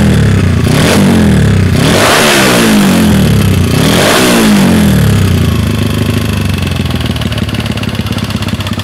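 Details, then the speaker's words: Karisma 125 single-cylinder, bored to 58 mm piston, fitted with BoyRenk type A racing camshaft: three rising and falling revs, pulling unevenly and spluttering on the way down; rough running, carburetor setting suspected not quite right. "Oke seperti itu kurang lebih suaranya slur ini nanti mau di-setting lagi mungkin ada kurang di settingan karbunya ini kurang kurang pas"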